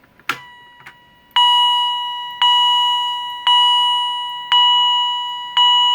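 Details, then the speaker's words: Edwards Integrity chime strobe, higher-pitch unit with mounting plate left on, triggered by an EST SIGA 278 pull station: five clean ringing chimes about one per second, each decaying, in a quiet room; sounding normally. "And you heard it did a quiet ding when I activated the pull station."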